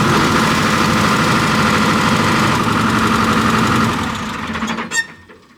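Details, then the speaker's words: 245G excavator diesel, post emissions delete, black smoke under load: running with number 3 injector unplugged clatters at a steady, slightly lumpy idle, then shuts down; smoke cleared, so number 3 is the suspect injector. Cylinder cut-out test. "Okay, so now we got number 3 injector here unplugged, got the wires off, and we're going to fire it up, and we'll see if the black smoke clears up."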